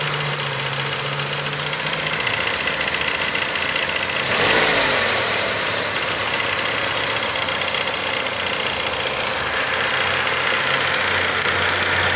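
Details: Engine idling with a steady sharp metallic tapping at about four knocks per second; knock source unknown, suspected timing chain, bearing shell or valve.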